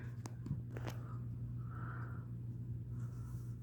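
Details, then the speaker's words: Homestead Universal Monterrey 29-inch ceiling fan on medium via 3-speed wall control: steady low hum with rough rumbling and a few clicks from worn, shot motor bearings; owner plans to oil them, especially the top one. "Medium. Yeah, it's making some noise. Bearings are shot. You can definitely hear them."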